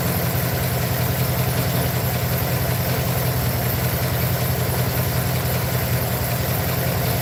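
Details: Truck idling rough and uneven with a loping beat around 150 a minute and irregular dips, like a cylinder dropping out. Owner feels it got worse and plans to pull and check all the plugs. Misfire at idle.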